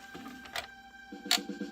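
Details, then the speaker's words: Retro console disc drive playing a disc after repair: a quick rough ratcheting grind with sharp clicks from the laser sled, possibly from parts bent when pieces snapped off. "yes see hear that like grinding again that's just not right there is still something very funky going on here"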